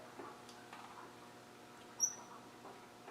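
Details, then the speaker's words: Land Rover 300Tdi engine hand-cranked with the glow plugs out, no injector power, and no vacuum or fuel pump: one short, sharp squeak at a certain point of rotation. Valve squeak. "but it it is a definite squee isn't it yeah and you just have to move it at a certain it's got to go"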